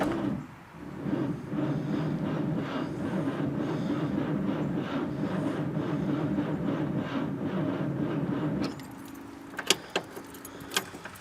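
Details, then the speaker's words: 1954 Packard Clipper Deluxe straight-eight flathead, 6-volt positive-ground system, battery not fully charged; rhythmic starter cranking about four beats a second for nearly nine seconds, never fires; owner suspects no spark or no power to coil. "The battery's not fully charged, but it is a 6-volt, and that is the way they run. For some reason, I think I am still not getting any juice."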